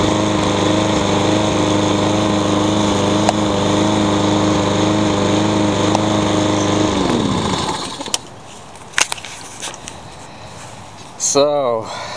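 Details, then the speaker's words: Troy-Bilt TB360 mower with its cleaned old carburetor refitted and the tank cleaned still skips and pops. It runs at a fairly steady rev with faint pops and an uneven beat; the misfire persists. The flywheel key and timing are to be checked. "sounds like we're not done yet what's the troy bilt it's got a clean carburetor and I cleaned out the tank but it still kind of skips and pops"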